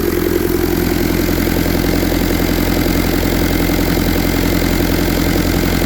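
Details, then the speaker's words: 1952 Willys M38 with a Kubota V2203 diesel swap, about 4000 miles, idle set around 1100–1200 rpm (digital tach, peak 1299): even, steady diesel clatter with no stumbles or misses. Smooth, healthy high idle with no vibration. "okay so that's about 1100 1200 so the highest I was 12.99 see how smooth everything is this isn't doing anything"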